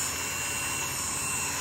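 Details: Vintage electric massager from the 1970s–80s, after motor brush repair, running on its low setting: steady high-pitched whirr with no crackle or dropouts; runs smoothly and healthy.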